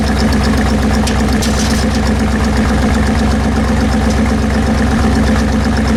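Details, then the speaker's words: AMC 304 V8 on a wood chipper, idling after alternator rebuild for charging fault: steady idle with a light rapid tick about four per second; owner thinks the tick is just the exhaust. "You can hear a little bit of a tick, but I think it's just the exhaust."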